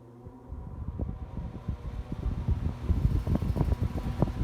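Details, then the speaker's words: Home central air conditioner outdoor unit that blows air but doesn't cool, wind on the microphone: only the fan whoosh, no compressor hum; compressor not running, a failed capacitor more likely than a failed compressor. "you can hear the fan moving, but there's another component within the air conditioner unit that should be making some noise, or at least functioning, and that is the compressor that is below the fan."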